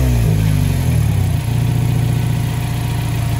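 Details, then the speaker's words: Mazda CX-5, exhaust flex pipe repaired with heat-resistant fibreglass wrap tape; a short rev drops back to a steady, even low idle with no rasp or hiss; exhaust sounds sealed, much quieter inside. "Так ну что касается Когда в машине сидишь то есть ну прямо стало реально тише да работает как надо"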